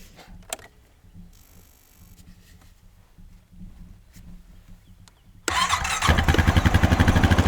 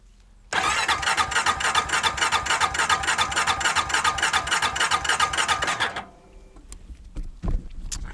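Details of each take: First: Small farm equipment single-cylinder engine after spark plug replacement (no visible spark before): quiet, then catches at once and settles into a steady, even idle pulse with no misses; normal start and idle. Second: Honda farm equipment with the battery in and the fuel pump getting power: the starter spins the engine briskly at about 200 compression beats a minute for five seconds with no firing.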